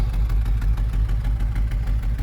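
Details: 1964 Ford Thunderbird V8 after moly engine flush and lifter additive (lifter tick improving): deep, steady idle with even, loping pulse, no knocks, misses or rattles; idles just right, no smoke.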